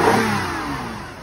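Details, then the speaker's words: 2003 Toyota Avalon at auction, started with a jump and moved forward and backward: brief rev falling away smoothly, clean even exhaust note with no knocks or misfires; sounds pretty good, normal revving. "Actually sounds pretty good."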